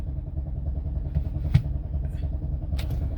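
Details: 2007 BMW X5 4.8, fault code 2F44 EWS preventing manipulation, cranked after reset attempt: starter turns engine over in steady low churn but it never fires; crank no start.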